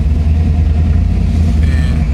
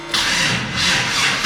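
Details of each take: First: LS V8 Cutlass driving under acceleration: a deep note pulling hard but with choppy, uneven pulses, skipping. Misfire under acceleration, which the owner attributes to an arcing spark plug that needs fixing. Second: LS engine with a battery pack connected and voltage rising: starter grinds briefly, then the engine catches and fires up cleanly; normal start.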